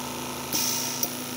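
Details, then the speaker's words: Stratus OTS-5 oxygen concentrator that had an abnormal pressure and compressor fault, now with a new zero-hour compressor (clamps not yet fitted): steady, even compressor hum with a soft hiss as the valves cycle. PSA process active, drawing 2.8–3.1 A. Normal. "Así que encendamos en concentrador Ya está trabajando nuestro compresor y ahora ya hay proceso psa veamos"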